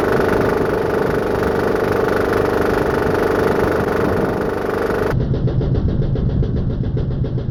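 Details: Home-built diesel air compressor at full throttle after new belt install, pumping toward 80–100 PSI: loud diesel with rhythmic slapping about twice a second; loose drive belt whipping but staying on.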